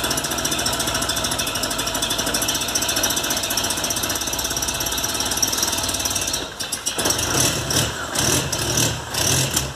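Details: VW Golf Mk3 single-point injection (monoponto) petrol engine idling unevenly with stumbles and misfires; faulty idle air control actuator (idle speed actuator) causing the rough idle.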